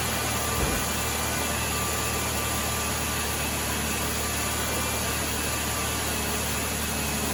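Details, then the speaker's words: 2011 Chevrolet Impala 3.5L V6 after new AC Delco Iridium spark plugs: steady, even idle under a constant hiss, no misses, stumbles or knocks; runs like a top, normal idle. "Runs like a top."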